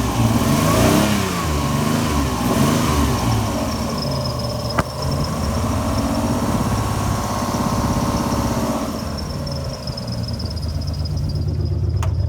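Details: Alfa Romeo GTV V6 started after sitting a few months: uneven lumpy idle through throttle blips, never smooth, suspected misfire of a cylinder; cause unconfirmed.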